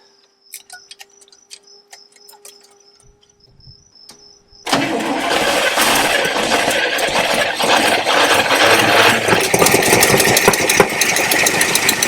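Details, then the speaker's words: Abandoned 1974 International 150 pickup with the IH 345 V8, left in a farm field, fuel line disconnected: even, strong cranking at about three beats a second with no drag. Normal cranking. "Well, that sounds pretty good."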